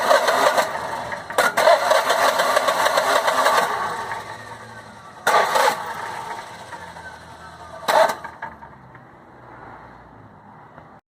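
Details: Generac Guardian Quiet 05244 generator, sat about a year, new battery, fresh 5W-30 oil and filter: cranking bursts each catch briefly with a rough roar then die; oil topped up didn't fix it, new spark plug made it run (fouled plug).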